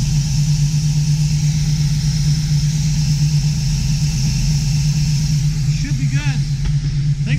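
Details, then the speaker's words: 1972 Chevy Nova SS V8 with FiTech fuel injection, new plugs and oil, cold idle around 950 rpm, air-fuel 13.3 versus 13.1 target, coolant 53, fuel pressure about 9-10 psi; deep even burble, no knocks or misses, healthy idle. "as you can see there we're cold idle right around 950 give or take a little bit air fuel ratio is thirteen point three"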